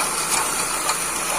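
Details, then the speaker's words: 2006 Ford Focus 1.6 at idle, before repair: steady hissing whir over the engine with no knock; worn water pump bearing, water pump replaced. "Então galera eu tocozinho é 1.6 que tava com barulho na bomba já foi trocado vamos ver se dá para enxergar ali"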